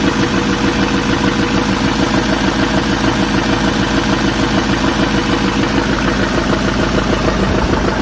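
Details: 2007 Chevy 3500 Silverado, 6.6L LMM Duramax diesel, parked at idle; steady deep knock about twice a second over the clatter, from a spun crankshaft bearing.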